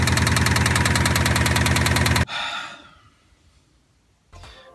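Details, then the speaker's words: Subaru blown engine after a quick acceleration and a loud snap on lift-off: heavy, regular knock about four times a second over a rough idle, then engine cuts; engine needs replacing. "It does start and it does run, but it sounds very unhealthy."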